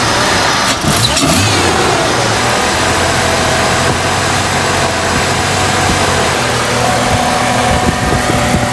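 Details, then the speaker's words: 1998 Jeep Cherokee XJ 4.0L six idling with a faint sputter and idle speed wavering up and down, no codes stored; throttle position sensor suspected. Hunting idle. "You can kind of hear it sputtering. So I'm not throwing any codes or anything. You can just see the idle going up and down a little bit."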